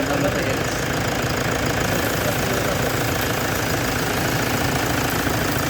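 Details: Toyota Hilux engine during an XADO engine treatment, idling steadily with an uneven tapping knock at about three per second; cause still unknown.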